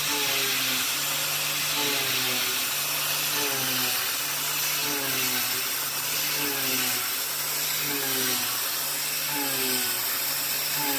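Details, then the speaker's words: YG1 Alu-Power 3/8 in three-flute uncoated endmill with 1 in length of cut, doing adaptive clearing at about 0.070 in width of cut. An even, high cutting hiss over a steady spindle tone with no slowdown or chatter: a clean, normal cut. "all right well that sounded about the same uh no slow down at all uh just cutting like butter"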